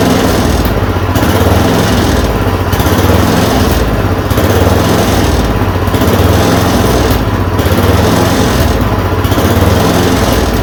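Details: Yard Machine 826 snowblower (8 hp, 26 in cut), just fitted with a dual belt: a buzzy, steady run with a slight rise and fall about every 1.5 seconds after the idle screw was adjusted. It keeps running normally.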